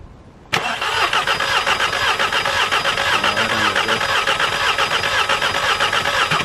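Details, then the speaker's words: Audi TT Amplified Edition from salvage auction, cranking with fuel pump fuse pulled during compression test: uneven, lopsided rhythm with one lighter beat per cycle; cylinder two reads about one bar, absolutely no compression. "right so we have cylinder two absolutely no compression so now we've got to get it into the bloody Workshop"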